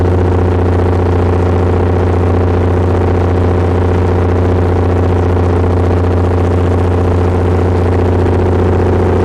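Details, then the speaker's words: Perkins 6.354 inline-six diesel driving a 45 kW Lima generator (Empire gen set), under load: loud steady drone with a slight uneven pulse about once a second, shuddering with slight crankcase blow-by; uneven running, cause unclear. "running correctly it's not the smooth even sound that a diesel should have"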